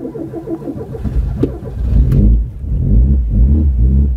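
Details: 1983 Ford Escort Mk3 parked in a heated garage since 1993, first start, no coolant, low oil pressure concern: lumpy uneven low rumble surging and sagging under light throttle, smoking; rough after long storage.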